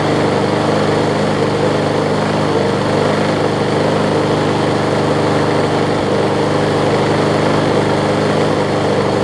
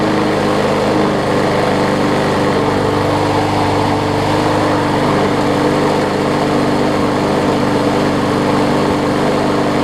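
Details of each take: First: Older MTD Yard Machines 21-inch push mower, 3.5 hp Briggs & Stratton, carb not priming, only runs seconds: rough throbbing single-cylinder beat with heavy vibration, dies after about thirteen seconds; bent crankshaft found later. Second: Older MTD 21-inch push mower, 3.5 hp Briggs & Stratton, after fixing the carb and straightening the bent crankshaft's high spot with hammer blows: even, steady single-cylinder drone, no wobble or thump, only slight vibration.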